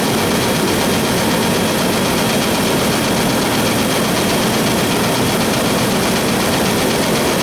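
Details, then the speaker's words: 4.3 V6, cold-start idle with low fuel: dense, rough roar with an extra noise, unclear whether belt; 60 psi oil pressure; cap cracked with brittle seals. "nursy that pretty decent I don't know if that's the belt making noise or not not got a lot of rough more like lifo low fuel light on hopefully that quiets down I don't like that noise"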